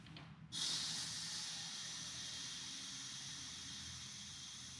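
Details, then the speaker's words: Polygon Siskiu D6 front wheel (25 mm inner rim) being set up tubeless with an air canister: a sharp burst of hiss, then a steady airy rush that slowly fades as air appears to leak past the unseated bead. "hopefully this works here's the whole thing oh there seems to be a leak"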